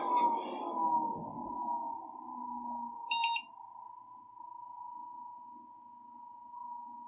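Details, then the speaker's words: Small Lenovo PC, power supply plugged in, no keyboard connected: single short high beep over steady fan hum at power-on; BIOS reports keyboard not found fatal error. "now it's not found keyboard not found fatal errors okay i don't know how fatal that really is"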